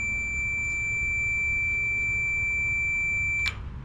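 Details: Echo PB-580T backpack blower (running rough, won't rev), continuity tester clipped across the kill switch circuit: a steady, high-pitched beep lasting about 3.5 seconds shows continuity. The switch is fine, but the throttle-linked part isn't actuating it properly.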